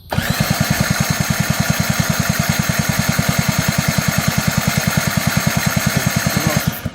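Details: 50cc quad ATV with a newly fitted 12V CDI, getting only one spark: the starter cranks steadily at about three strokes a second for several seconds, but the engine never fires. Cranking no-start.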